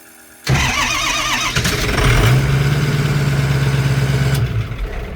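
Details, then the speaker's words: Turbo diesel Mustang after burnout event and turbo failure, back at shop: catches after short crank, settles into lumpy uneven idle with irregular beat; owner suspects engine is hurt, possibly low compression. Rough uneven running after start. "you hear it I think it's a little hurt definitely a little hurt it's idling just a little it's idling just a little off I think"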